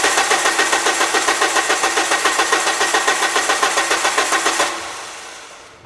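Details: 2000 Peugeot Partner, crank-no-start: even starter cranking at about three and a half beats a second with no firing before it winds down; engine computer not driving injectors or ignition coil.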